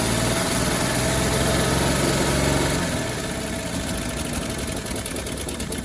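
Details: 1957 Chevy Bel Air after sitting 30 years, gravity-fed fuel, idle turned up; water pump or generator seized: steady idle with rapid sharp ticking puff on every firing pulse; massive exhaust leak.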